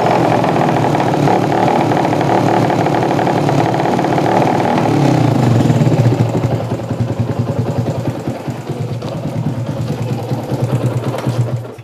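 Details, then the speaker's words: Yamaha Jupiter MX that dies and is hard to start: loud open-pipe single chugs unevenly, stumbles and pops when throttle opens instead of picking up, then dies; suspected fuel mixture (carburetor setting too lean or rich) or ignition fault, not confirmed. "Oke, Mas Bro. Intinya motor ini mbet brebet brebet begitu. Oke, berarti rumusnya adalah brebet."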